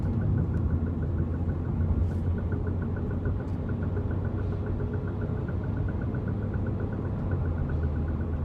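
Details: 2009 BMW 128i while driving: steady engine drone with fast even light knocking from the rear, increasing with acceleration; cause not yet pinned down.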